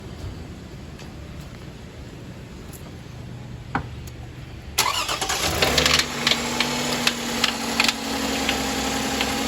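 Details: Toyota 3.5 liter V6 on start-up: after a quiet spell the engine fires and sharp irregular knocks stand out over the settling idle; suspected VVT-i cam phaser sprocket knock, unconfirmed.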